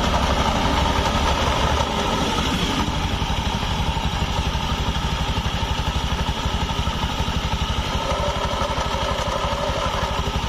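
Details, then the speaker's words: Honda automatic scooter idling with open CVT cover: rough, gritty clatter that turns soft when the rear wheel is spun forward by hand, traced to a worn needle bearing in the rear (secondary) pulley. "ini suaranya kasar Tapi saat diputar roda ke depan dia Suaranya lembut nih"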